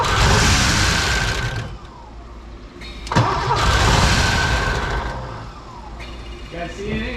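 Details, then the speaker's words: Rare Porsche 928 cranks, catches briefly and dies twice, never holding idle; fuel rail only dribbles instead of the expected 38–42 PSI, a suspected blockage starving it of fuel pressure. "so it's literally firing on this and then as soon as it notices it has spark it goes to turn the fuel on and then has no pressure so the fuel pump is staying on"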